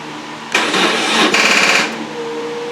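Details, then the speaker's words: 2002 BMW R1150RT motorcycle being recommissioned, first start attempt after long storage: about a second and a half of rapid dry clatter with no engine catching, starter solenoid chattering on a flat battery; it fired right up after a quick charge. "of course the battery is going to be dead now"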